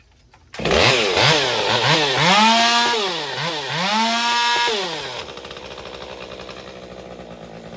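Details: Stihl MS201TC chainsaw after performance work, idling 30 seconds to settle idle fuel settings: revs rise and fall about once a second, hunting, then settles; surging, rough running.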